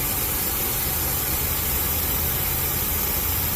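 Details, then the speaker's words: Oxy-acetylene torch lit acetylene first, then oxygen opened to clean the sooty flame: even, steady roaring hiss with no popping or sputter, a normal clean, properly mixed flame. "When you open up the red, you see all that black smut. It's not clean. And you open up your oxygen. That's how you get clean."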